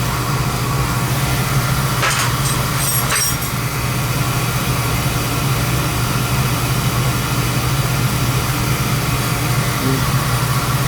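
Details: Oil burner gives a steady low roar with brief handling rattle early; lights and fires evenly. Draw assembly is suspected set too far in.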